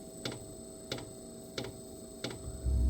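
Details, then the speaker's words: Diesel heater restarting after running out of fuel (code E08), on a lithium battery in a cold room: sharp pump ticks about every 0.65 s over faint hum, then a low rumble as it catches; uneven on-off firing, owner suspects air in the fuel line. "All right, you can hear it fired up again. You know why? When I ran it out of fuel, that's what happened. There's probably air in the line, so you're going to hear it go on and off."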